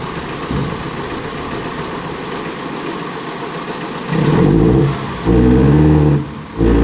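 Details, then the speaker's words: 2006 Ford Transit VH 2.3 petrol with engine light, low power and won't exceed 20 km/h: muffled idle then choked, strained revs while cylinder exhaust pressure is measured, about 3.5 psi at idle. Blocked exhaust; catalytic converter to be unbolted next. "40 psi back pressure this has definitely got a blocked exhaust 100"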